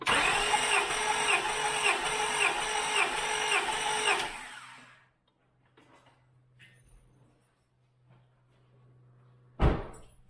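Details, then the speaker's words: 2000 Acura 3.2 TL, J32A1 engine with 623,264 miles, heads never off, original valves: compression test on cylinder 4, throttle wide open, even cranking puffs about two per second. It read 200 psi, healthy compression. "We want at least 6 puffs off the engine. Throttle wide open and crank it 6 times."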